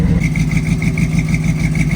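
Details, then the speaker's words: Old Chevy square-body barn-find V8 with headers and likely cam, first start after sitting for years: steady idle with sharp rhythmic ticking puff on one bank; exhaust leak at header. "Sounds like she's got a little bit of an exhaust leak, but she's idling okay. I'm surprised, actually."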